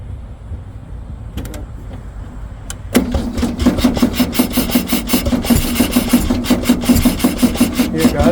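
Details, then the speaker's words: Abandoned VW Beetle Baja Bug off-road race car that sat for years, cranking steadily at about 160 strokes a minute but never catching. The suspected cause is a dead battery. "it's trying now yeah I'll give it another gut full of car planner all right come on baby dead battery"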